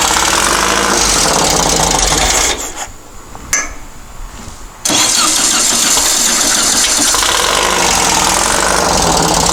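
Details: Dune buggy/sand rail engine, long-sitting, restarted after setting timing to the pulley mark at the crankcase split on number one and loosening the distributor to adjust; fires at a ragged, uneven idle, dips and recovers. Rough idle, timing still being adjusted.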